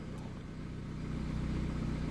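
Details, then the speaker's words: Opel Agila 1.2 16v, 158,695 km, after refitting the fuel pump and penetrating oil, choke on: steady even idle building slightly, pump running stable with only a faint sound, engine running smoothly. "alors voyons avec le petit coup de dégrippant et tout là on a le starter bien sûr bah écoute elle est plutôt stable la pompe bizarrement on l'entend même"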